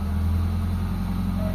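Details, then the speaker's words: Mitsubishi Lancer GLXi 4G92 manual, cold start after cleaning the idle control valve: a smooth steady idle that rises when the steering wheel is turned, so idle-up works; the complaint was idle dropping and stalling in traffic with the A/C on. "Habang nililiko natin manibela, tumataas yung idle mga boss. So ibig sabihin goods na goods yung ano natin, yung serbo natin mga boss."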